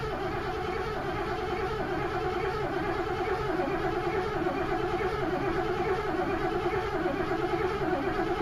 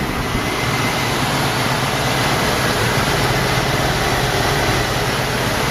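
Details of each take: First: 1986 Mercury Grand Marquis LS first start of the season; long even starter cranking with a wavering churn that never fires, strong gas smell, owner suspects flooding; hard start with extended cranking. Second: 1986 Mercury Grand Marquis LS, first start of season after flooding with fuel, throttle floored: steady full roar with no misses, knocks or ticks, then idles down; running good.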